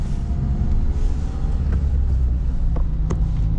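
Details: Ford Connect van on a road test after repair of an axle found stripped in the middle: steady low road rumble with light taps from loose cobblestones, no knocking or grinding from the axle; customer-reported noise traced to the road surface.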